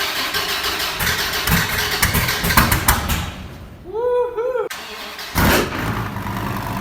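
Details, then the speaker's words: Wrecked 2014 Dodge Viper TA V10 being rebuilt, with cam and straight-pipe exhaust: starter whirs, engine catches and flares loudly, then settles into a lumpy hard-edged idle; normal start and idle, no knocks or misfires. "I just want to give you guys another startup of this Viper because I sure missed that sound I don't know about you guys but I'm ready to hear that thing"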